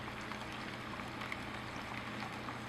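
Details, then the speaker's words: Vermicompost worm-juice tote aerated by a 500 gallon-per-hour submersible pump with venturi air intake via transparent tube: quiet steady hum under constant fizzing and bubbling as air is drawn in; pump running normally, aerating better than an airstone. "the pump is picking up quite a bit of air from the venturi and it's just aerating everything much better than that an airstone because it doesn't get jams"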